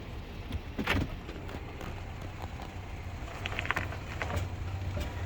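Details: Intermittent popping noise: two or three sharp, irregular pops over a low vehicle rumble, source not identified.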